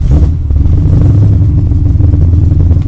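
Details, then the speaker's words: Big-cam naturally aspirated LS7 V8 in a Datsun Z, being tuned for idle fuel, spark and airflow, starts right up with a deep even rumble and holds a steady idle as the rpm settles toward target; normal start and idle. "started right up there it's pretty good now notice the engine rpm should start to dissipate"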